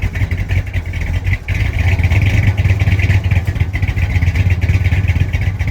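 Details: 1965 Chrysler 300 with 383 V8, sat since 2005: steady, deep, lumpy burble with no ticks or knocks after the mixture screws were set about 1.5 turns out; running smoothly.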